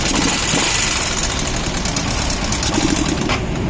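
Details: Bajaj Discover motorcycle at rough idle with a rattly knock under the exhaust beat, something tapping inside, cause not identified; engine knocking noise.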